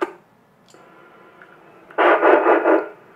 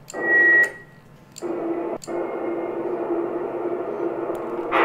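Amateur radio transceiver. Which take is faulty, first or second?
second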